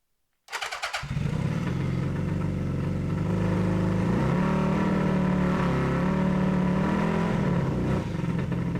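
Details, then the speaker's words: 1982 Honda Nighthawk CB650SC four-cylinder after carburetor replacement and alternator rebuild: lumpy, uneven idle with an unsteady pulse; half the cylinders still misfiring. "since I know these alternators weren't very good to begin with and half my cylinders are still misfiring"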